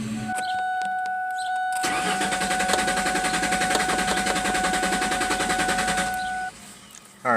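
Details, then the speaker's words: 2014 Mazda with a cylinder 1 misfire code: even starter cranking, about three and a half pulses a second, no knocks or grinding; engine sounds normal while cranking. "so engine sounds good I don't hear anything that sounds weird while cranking"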